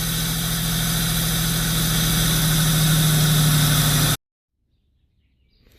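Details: V8 idling right after a timing chain replacement: steady, even smooth low drone with no knocks or rattles for four seconds; runs healthy.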